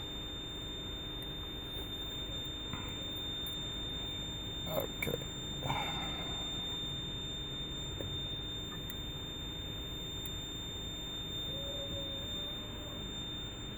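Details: 1999 Lexus GS300 (2JZ-GE, 257,000 miles), nonstop high-pitched beeping inside the car with brake warning lights and no brake assist, from a brake system fault; the ABS modulator assembly was replaced.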